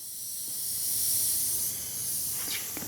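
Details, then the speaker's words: Oryx electric unicycle tubeless tire after about 1,200 miles: steady high-pitched hiss of air escaping under pressure from a small thorn puncture between the tread knobs. "I saw what I thought was a rock in the tread, and I reached to pull it out, and a thorn. Not that big. And can you hear the air?"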